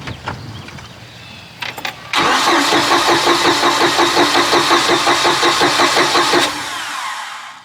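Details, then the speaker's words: 2000 Bayliner Capri 1952 cuddy cabin, 3.0 MerCruiser, neglected for years: starter cranks the engine at a steady even beat for about four seconds but it never fires; owner suspects fuel not reaching the engine, then tries starting fluid. "you just need that uh gas to get to the engine"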